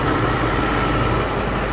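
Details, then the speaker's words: Mercedes SL600 V12 test car with repaired Egas module, idling after start: smooth steady idle, even low drone, no hunting, misses or surging; proper idle with no ASR light on dashboard. "Go look on the dashboard. We have proper idle. There is no ASR light or anything."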